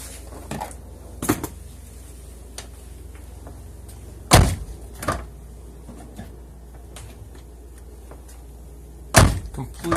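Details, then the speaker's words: 2005 Toyota Sienna door after replacing the door check assembly: door swings and shuts with a clean thud, no popping, stops at the normal location; normal door check operation. "free no more popping sound closes just fine stops here it stops at the normal location"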